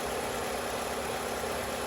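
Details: 2007 Chevrolet Cobalt LS 2.2 L, which rattled on startup and drive-in while three and a half quarts low on oil, now topped up: smooth, even idle, steady hum, no tick or rattle; normal idle.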